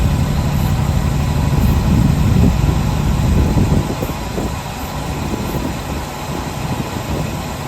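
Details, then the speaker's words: 1966 Chevrolet C10 shortbed farm truck, last licensed 1979, first start after long storage: the old six holds a low, steady idle by itself, slightly lumpy but with no knocks or misses. Normal idle. "sitting there idling on her own. That is awesome. That is super cool, this old relic. I can't believe it. After that long, this thing fired up like nothing."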